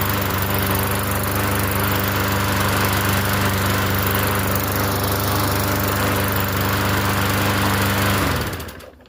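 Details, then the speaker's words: Free Yard Machines 21-inch self-propelled push mower, primed, starts on first pull: steady, even small-engine drone at constant speed for about eight seconds, then a clean shutdown; runs smoothly and healthy. "And it starts first pull too. That's a good thing too to watch."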